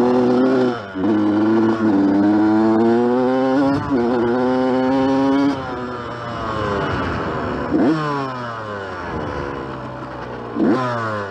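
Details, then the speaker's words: Yamaha YZ125 two-stroke dirt bike, helmet-mounted camera while riding; ringing exhaust pulls up in pitch then sags and falls off flat repeatedly under throttle, loaded up and bogging before clearing. "a little loaded up could have to get it unloaded yeah it's definitely loaded up definitely loaded up it's starting to get out of it though"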